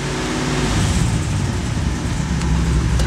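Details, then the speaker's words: 1991 Corvette ZR1, LT5 V8 with 16 Multec injectors, secondary system engaged during scope testing: low, lumpy note with uneven stumble about four times a second; misfire from multiple shorted secondary injectors. "let's trim that time down just a little more and I'm going to reduce the scaling on the voltage and uh we'll turn this [Music] on"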